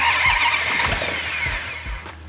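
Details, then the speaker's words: 1971 Hemi Cuda with 426 Hemi and carburetors, first fire-up after rebuild; uneven, lazy firing with ragged pops that die back rather than a crisp idle; ignition timing judged too retarded. "Okay, hang on. I think it's retarded. Hang on. You know, it's very rare that when you fire one of these engines up, that right off the bat you have the timing set perfectly."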